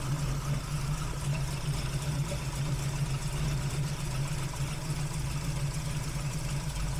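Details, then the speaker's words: Big-block V8 with a big cam on its first start after Killshot II EFI install: deep, choppy, steady lumpy idle with little vacuum, 58 psi fuel pressure, temperatures good, no fuel leaks; already healthier, a normal lumpy idle. "it's already healthier it's already I mean it's fatted idle feeling good sounding good"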